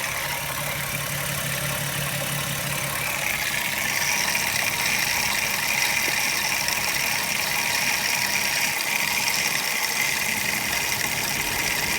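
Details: MKIV 12v VR6 at idle: a light, quick clicking around three per second over a steady idle. A bad water pump is suspected but not confirmed.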